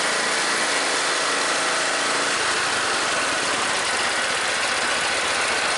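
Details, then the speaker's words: MTD riding mower that died mid-mow and wouldn't restart, after valve train repair and valve adjustment, started on choke: single-cylinder engine catches after a couple of seconds and settles into a steady, even note with no tapping; normal running. "Alrighty guys, we got the MTD riding lawnmower going one more time for a good friend of mine that lives down the road."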